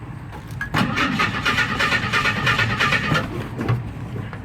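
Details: 1976 Jeep DJ5D postal Jeep, two-wheel drive, hooked to a makeshift battery, with the carburetor gravity-fed from a jerry can because the fuel pump is dead: the starter cranks in an uneven rhythm of about three turns a second and the engine never catches.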